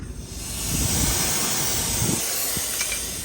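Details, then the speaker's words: AC system pressurised with nitrogen after a big vacuum leak, recently fitted new compressor: steady loud hiss of gas escaping with only faint rumble underneath, refrigerant system leaking near the compressor. "I hear it somewhere else something something doesn't sound [Music] right I hear something yes let's disconnect this"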